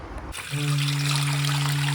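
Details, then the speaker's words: Combi boiler system, humming from every hot and cold tap: water trickles then a steady low foghorn-like hum; dripping kitchen sink tap's worn washer identified as cause, isolating it removed the noise; washer to be replaced. "clunking pipes and this is the cause of all that noise yeah customer's got a new tap so swap that hopefully that cure the problem"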